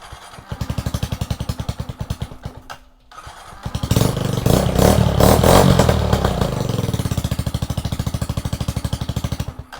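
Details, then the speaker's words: Kawasaki Z125 project bike after oil change and cleaning old fuel from the gas tank: engine catches into an even steady putter, revs cleanly, settles to a regular idle; healthy start. "I could just turn it on, that's the goal. It's getting there. It's getting happy."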